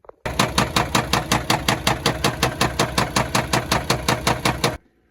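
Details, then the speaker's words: 2016 Peterbilt 579 Paccar MX13 diesel with cylinder 6 contribution too low/misfire code and cylinder balance test failing: heavy sharp knock about three times a second through an uneven idle; injector knock with misfire. "I don't know if you heard that, but most of us are going to know, just because of the way it sounds, the way it's acting, it's going to be an injector."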